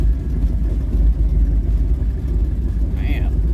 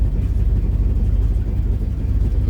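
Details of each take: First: Old Ford truck "Bonnie" V8 idling about 750 rpm on a cold day after new spark plugs: steady, even low rumble with no misses or stumbles, way smoother than before; normal idle. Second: Old Ford daily driver at idle, not fully warm in about 30° weather: lumpy idle with an uneven loping beat and regular exhaust stumble; dead cylinder, plugs to be replaced.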